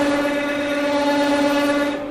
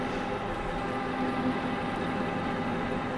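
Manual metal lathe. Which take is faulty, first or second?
first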